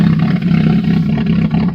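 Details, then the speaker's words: Chevy just after 0°F cold start, car frozen, weak six-year-old Interstate battery: lumpy uneven low rumble with wavering rapping beat like a rotary; engine running rough and missing. "sounds terrible sounds like a rotary rap rap rap rapping rotary Wow hey the worst I've heard it sound in a long time but it fired up mr. snowman"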